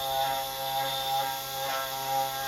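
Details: CNC 3018 router, X axis: steady buzzing stepper tones with a thin high squeak as the axis moves; the axis shifts position, apparently skipping steps.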